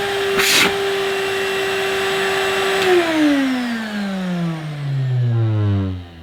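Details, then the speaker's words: 1995 Numatic Basil vacuum cleaner with rusty motor and gunk wrapped around its vanes, blowing dust: steady high whine, pitch sags on spin-down with rough rattle at the end; motor sounds rough, cause unconfirmed. "that motor doesn't sound quite right it's not too noisy but yeah you don't sound too clever basil do you"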